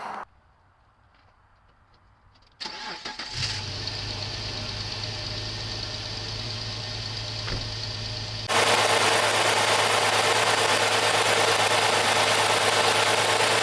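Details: 2003 Jeep TJ, during a fuel pressure regulator test using a gauge on the Schrader valve: starter cranks briefly, the engine catches cleanly and settles into an even, steady idle with no misses or knocks. Fuel pressure about 50 psi, normal.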